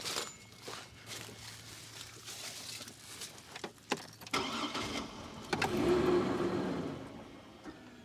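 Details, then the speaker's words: Chevrolet Trailblazer that sat 5 years: steady starter churn, then a brief catch on fuel poured into the intake that dies at once. It has spark, so a fuel-delivery problem is suspected and the fuel pump relay is next. "all right it's getting spark when we dump fuel down the intake it uh the engine fires up but it dies right off that means it's not getting fuel"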